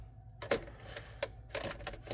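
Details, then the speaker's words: 1978 VW Super Beetle, battery at 12.73 V, meter set up for a charging test: several sharp irregular clicks at the key with no cranking; intermittent no-start, owner suspects a bad ignition switch. "Oh man. I think it's got a bad ignition switch."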